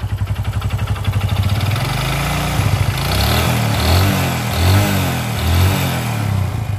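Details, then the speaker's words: Honda Supra X 125 motorcycle engine with a rattling knock in the middle of the engine from first start, growing louder as revs rise; sign of a damaged connecting rod. "saat e gasnya ditarik putaran mesin tinggi suara yang ngeletrek juga ikut lebih kencang ya KK KK Nah itu salah satu penyebab atau salah satu indikasi kerusakan pada bagian stang piston"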